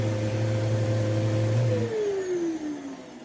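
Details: Vacuum caked with dirt, possibly on low, smelling like burning; the motor holds a steady mid-pitched whine, then winds down smoothly after switch-off, with choked airflow from debris clogging the hose and airflow path.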